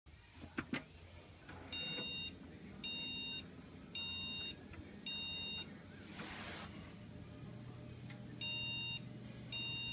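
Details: PC that won't boot gives a POST beep code: a high steady beep sounds four times in a row, pauses, then the group of four repeats.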